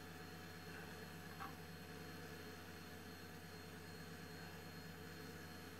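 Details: Old Highscreen Allround retro PC from an eBay classifieds ad, booting after a reset: even, steady whir of fans and spinning drives over a soft hum, no rattles or scrapes; normal boot fan and drive noise.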